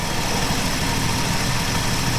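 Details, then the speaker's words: 1967 Plymouth Valiant slant six just started after sitting a long time, cylinders full of PB Blaster: steady low even idle rumble, no knocks or misses; smokes and makes water, alternator noise noted. "Well, there you go. That is one running slant 6."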